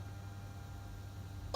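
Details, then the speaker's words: 396 big-block Chevy, one of the first starts after installing Holley Sniper EFI with a new in-frame fuel pump and filters. Quiet steady hum with one short, sharp click as the key comes on; the fuel pump primes normally, then it starts right up. "You heard the fuel pump click on and click off. Boy, she starts right up."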